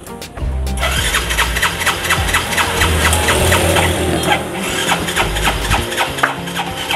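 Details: Yamaha Mio J scooter that stalls and is hard to start, with blinking lights, gives repeated cranking strokes about twice a second but never catches. A fouled spark plug giving no spark is the suspected cause.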